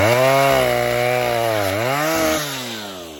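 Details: Vintage 1960s Stihl 08S chainsaw, close to 60 cc, with chain brake, cutting dead ash firewood: strong two-stroke howl bogging smoothly under the cut, then dropping cleanly to idle without stumbling; runs good, normal cutting and idle.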